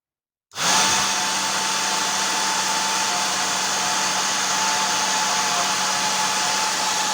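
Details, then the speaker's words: Worn motor from a professional hair dryer that had seen several years of use, run on test with a 0.22 µF capacitor added, already smelling burnt: a steady high-pitched whir with a constant hum; the worn commutator sparks, so the motor is unfit for use. "także widzicie że lepiej tego silnika już nie używać chyba że właśnie do takich doświadczeń"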